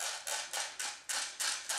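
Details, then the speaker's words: Airsoft high-capacity magazine (holds about 450 rounds) being wound with the wheel on the bottom after loading BBs; sharp crisp ratchet clicks about three to four per second, normal winding sound. "And these same concept of loading, but instead of them already being spring fed, you have to wind up this little thing on the bottom. And hear that clicking noise right here?"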